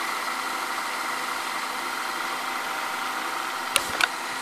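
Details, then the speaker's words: Sony SLV-760HF VCR in fast-forward: steady high-pitched whirr with faint fast flutter, like a kitchen blender, while winding; unusual transport noise, cause unknown. "makes unusual sound when it goes forward if you can listen closely it sounds like a freaking blender"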